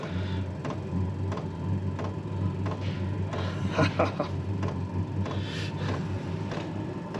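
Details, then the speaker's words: maXpeedingrods 12V/24V 8kW Chinese diesel heater in a garage, powered via 12V transformer, firing on second attempt after self-priming following a time-out: steady low burner and fan roar, even and unbroken, light background knocks; running normally. "so this is the second attempt to fire it up and as predicted it is firing up now you can hear it"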